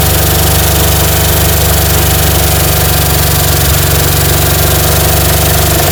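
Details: 1960 Chevy C10 235 six, sat about 40 years, running on gas with oil pressure unknown: rough idle with light, uneven ticking about four times a second. Suspected exhaust valve hanging up. Valves out of adjustment.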